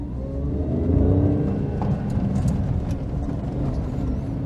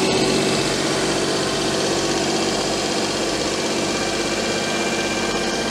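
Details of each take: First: Daihatsu Charade after engine swap, running on a working replacement inlet manifold with fresh gaskets: small petrol engine pulls smoothly under light throttle at low speed, revs rising evenly with no misses; normal running. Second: Daihatsu Charade after an engine swap with a replaced inlet manifold and the air filter not properly fitted: fast steady idle with a faint sucking hiss. The owner suspects an air leak at the manifold gasket, since none was fitted.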